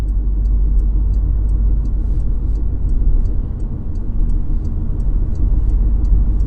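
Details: Porsche Macan at cruising speed: steady low drone under road rumble with faint regular ticking above; humming noise while driving, source not identified.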